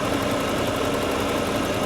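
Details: 1987 Pontiac Trans Am GTA V8 with 700R4 transmission, warm idle during an under-hood safety check: steady, even rumble with no knock, miss or squeal. Runs healthy; no burnt-oil smell or leaks, only a cracked radiator core support upper mount.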